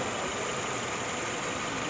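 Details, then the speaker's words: 2011 Hyundai Tucson 2.0 manual after engine repair and reinstall: steady idle with soft even hiss, no valve tapping; healthy, ready for road test. "Quero mostrar o ronco do motor. Prontinho, sem bater válvula."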